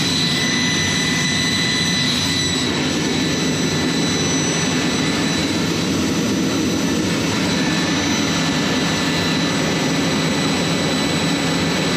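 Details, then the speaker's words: J79 jet engines on a ground run after refuelling and fixing leaks, to verify the leak repairs; smooth continuous jet rumble with a faint steady high-pitched whistle, level throughout. Normal, healthy jet engine idle. "So, again, really good day, very productive. So, hope you guys enjoyed hearing those J79s coming to life."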